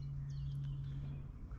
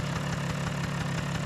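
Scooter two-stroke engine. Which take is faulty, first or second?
first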